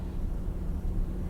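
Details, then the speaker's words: The electric cooling fan is commanded on through the Ediag Elite Bluetooth OBD2 scan tool's active test, with the fan previously off. A steady, even low whoosh of air is heard under the hood with no rattle or scrape: the cooling fan is running normally. "this is the cooling fan we don't need all the data the cooling Fan's off let's see if it works I can hear it blowing under the"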